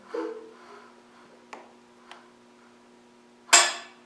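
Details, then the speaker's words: Land Rover 300Tdi engine turned slowly by hand in rotation direction with a torque wrench during timing belt fitting: light metallic ticks, then a sharp click as the timing pin drops in; belt timing correct. "Did you hear it click? We know now that the belt is in the right place."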